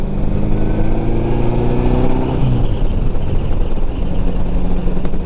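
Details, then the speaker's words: Restored 1954 Ariel Square 4, four-cylinder, while riding: engine note rises smoothly and evenly as the throttle opens, then settles to a steady pull with no misses or knocks; it later died at idle after reaching home. "Rigid, the motors rev up in this very unique way, and that's what gives them their soul."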